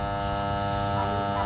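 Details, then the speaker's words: Rarely used 220 V, 200 W electric water pump that gets power but whose impeller won't turn. It gives only a steady electrical hum with no spin-up. The cause was a failed 10 µF start capacitor, and replacing it fixed the pump. "ปั๊มน้ำมีปัญหาใช้งานไม่ได้ปั๊มไม่หมุนนะครับปั๊มมีแต่เสียงอื้ออย่างเดียวไม่หมุนนะครับ"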